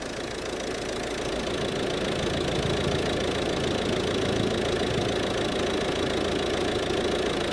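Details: Volvo V50 1.6 diesel at idle: a steady smooth whir with no squeal, chirp or bearing growl; normal alternator running.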